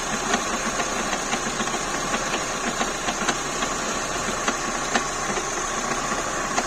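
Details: Renault K4M engine at idle: sharp metallic ticks around twice a second stand out over a smooth idle; an abnormal knock from inside the engine, cause unknown.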